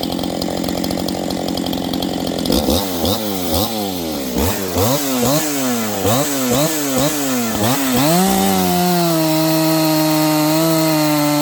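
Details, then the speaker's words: Husqvarna 268XP chainsaw, newly built, during slow break-in on first cuts in wood: saw bogs and picks back up roughly three times a second in the cut, then revs clean once free; surging under load as the green engine wakes up. "You can hear it. It's kind of slowing down and speeding up. This thing's starting to wake up."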